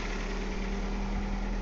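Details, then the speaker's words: 1998 Ford Escort ZX2 Sport parts-car engine with about 120,000 miles, fed by a bypass fuel line from a pump in a pan and running without coolant. Even, low idle with no knocks or misses and no smoke; it idles normally. "now there's no smoke it's running beautiful of course it's only got like 120,000 miles on the engine"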